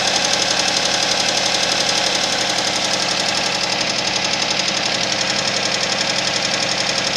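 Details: Suzuki Vitara engine at steady cold idle with a sharp, regular ticking knock about four a second; engine knock showing on cold start.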